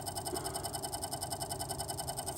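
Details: Brand-new SPI 850 W Magna Gold power supply: steady airy whir with a fast, even flutter about eleven beats per second, present right out of the box. The owner suspects the fan; unconfirmed.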